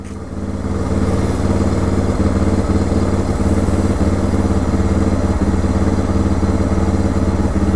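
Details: 2006 Suzuki DR650 with FMF header, Lex slip-on, drilled airbox and carb slide: steady, even single-cylinder thump at a fast idle after carb adjustment, though it still surges and hiccups when ridden.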